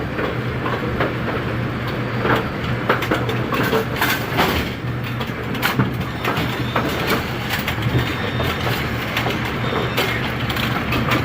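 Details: A2 pinsetter retested after replacing twisted, tape-wrapped wire connections, running 19 pins: continuous mechanical clatter and rattling, no stray electrical clicking; normal healthy cycle.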